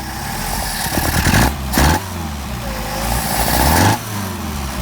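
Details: Mercedes 190SL Solex carbs rebuilt elsewhere, on a test mule engine: blips from idle stumble before picking up. Off-idle hesitation and poor transition from idle to higher rpm; accelerator pump suspected.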